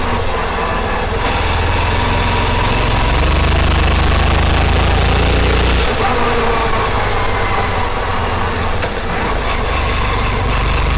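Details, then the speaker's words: Karizma motorcycle riding on rough road, mic placed near the chain; uneven knocking rattle of three or four knocks a second over the engine from the chain cover loose in its slots. Loose chain cover rattle. "मतलब चैन के पास से ज्यादातर यह आवाज़ आती है तो मुझे लगता है कि जो यह इसका ट्यूब चेनल का जो कवर झाल वह कवर से यह डाकुओं ने मतलब सुनाई देती है"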